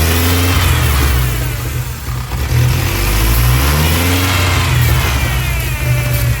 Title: massive vacuum leak on '99 Ford ranger 2.5 July 6, 2024